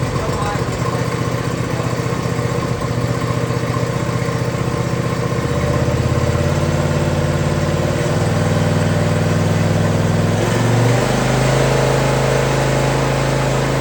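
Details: John Deere zero-turn Briggs single-cylinder, cooled down, after fitting a new carburetor modified with the old carb's parts; starts instantly on choke and settles to a steady, even idle, no misses or hunting; healthy.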